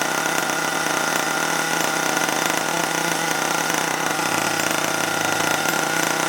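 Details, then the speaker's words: HPI Savage21 nitro RC truck after being drowned, throttle held open, fan blowing smoke out: engine screams at a steady high pitch, even and unbroken, no misfires or sputter. Running cleanly. "i've got the fan there blow the smoke out the door yeah running well now though i'm pleased with that"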